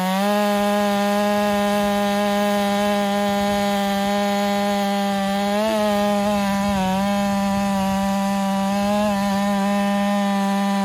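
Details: Ported Husqvarna 385 chainsaw during break-in, tune left slightly rich with a little top-end burble, cutting very hard oak: high steady two-stroke scream holding pitch with only brief dips under load; smooth cutting, normal.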